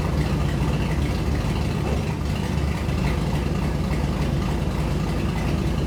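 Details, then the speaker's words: Shop truck just fitted with Truck Norris NSR cam, untuned, mic by exhaust: deep lumpy idle chopping unevenly, super rich and not close to proper running; tune planned. "I mean, yes, this thing does sound cool, but it is super rich, and this is not anywhere close to what it should sound like while it's actually running."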